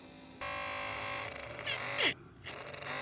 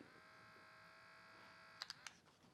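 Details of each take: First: 1987 Porsche 911 Carrera Cabriolet: hidden Bosch fan behind the dashboard, drawing cabin air over the interior temperature sensor, runs whenever the ignition is on; harsh steady buzzing whine stops when the impeller is held. Nearly 40 years old, dirty, motor rattling. Worn fan motor bearing buzz. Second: 1987 Porsche 911 Carrera Cabriolet: small Bosch fan for the automatic heating system's interior temperature sensor, cleaned and run on the bench. Steady even whirr with a faint whine, no rattle or scraping, then a few handling clicks. Bearings fine, slightly quieter in its housing.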